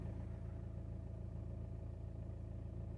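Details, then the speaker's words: VW Jetta Mk5 1.9 TDI 105 hp (BXE) diesel at about 276,439 km, after turbo repair and oil, filter and diesel filter change: quiet, even low idle with smooth steady beat, no whistle or rattle; much smoother and quieter than before. "now it's it's running much smoother much quieter it doesn't make a lot of noise like it used to"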